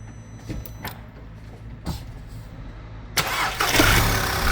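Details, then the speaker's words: Audi TT first start after intake manifold replacement, vacuum pump hose reconnected: a few slow cranking pulses, fires about three seconds in and holds an even idle with no stumble; normal start and idle. "Oh, that's perfect. Everything's working."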